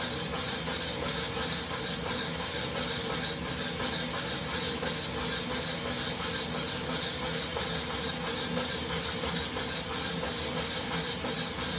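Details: Wahoo Kickr Rollr trainer warming up: steady high hissing squeal over a soft rolling whirr for about two minutes at the start, later giving way to knocking during riding; cause unknown.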